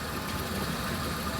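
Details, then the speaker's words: 1973 Rolls-Royce Corniche barn find, unrun about a year, just started: steady even idle with soft low rumble, no knocks or misses; starts right up, though hydraulic pump not heard running after filling with RR363 fluid. "it starts right up and every Rolls-Royce I've ever seen no matter the age we'll start right up"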